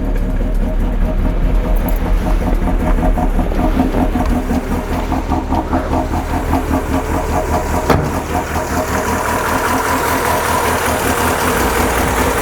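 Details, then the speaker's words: Mazda Miata, freshly started, at idle: the engine note rises and falls slowly and unevenly, with the idle fluctuating about 100 rpm when it should hold steady. Cause not yet identified. "Let me show you the idle actually. It fluctuates just about around a 100 rpm idling."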